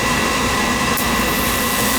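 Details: Oil burner that had been tripping out, serviced with pump pressure raised from 120 to 140 and a stronger spark: steady, even roar of flame and fan with no sputter or pulsing; burner firing cleanly with a stable flame.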